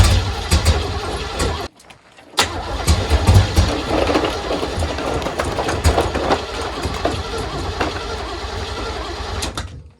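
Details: 1980 Pontiac Grand Le Mans with small block V8 and headers: long starter churn, brief gap, then uneven firing; timing suspected off and accelerator pump not feeding fuel to carb; extended cranking, hard starting.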